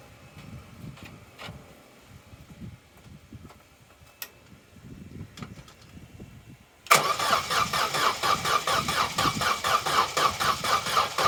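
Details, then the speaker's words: Vauxhall Corsa B sat neglected 4–5 years, old fuel diluted with a gallon of fresh fuel: starter churns steadily at about two pulses a second, turning over slower than it should, and the engine never catches; cranks but won't start. "it's turning over but it's not turning over as fast as it really should"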